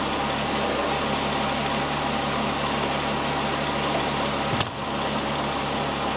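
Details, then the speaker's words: 2001 VW Jetta GLX power steering pump at idle after bleeding, belt reinstalled, steering turned lock to lock: steady hiss, no whine or groan, reservoir fluid clear with no bubbles or burping, no leaks; pump quiet after bleeding. "the pump right at this point is nice and quiet right now I don't see any Bubbles at all crystal clear no no burping"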